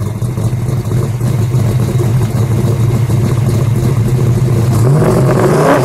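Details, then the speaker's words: 1968 Ford Mustang Shelby GT350 restomod V8, 550 hp on the dyno: deep, even burble that swells smoothly when revved, with a faint supercharger-like whine of unknown origin heard under the hood; healthy and strong. "It's got a little sound to it, almost like it's got a supercharger."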